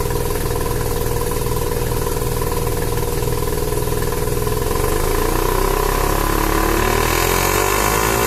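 Rotary revs up hard but the note stumbles and breaks up unevenly as load builds, pointing to a misfire under boost. Cause suspected, not confirmed.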